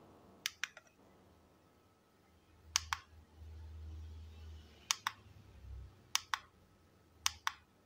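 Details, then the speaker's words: Godox Mini K-150 studio flash after repair of a no-fire, weak-power fault, tested at full power: crisp double clicks every couple of seconds with a faint steady whine between, flash firing and recycling normally again. "itu dia teman-teman Lampunya udah normal kita coba di power tertinggi ya teman-teman ya kita full kita full teman-teman dengarkan suaranya Mantap ya mantap teman-teman udah kembali normal lagi"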